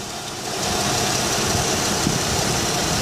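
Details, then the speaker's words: 2007 Chevy Uplander mobility van, 3.9 V6, about 277,000 miles, about 12 years old: starts right up and idles smoothly with a steady even hum, no knocks or misses; normal idle. "it idles smooth sounds good I know this is a lot of miles"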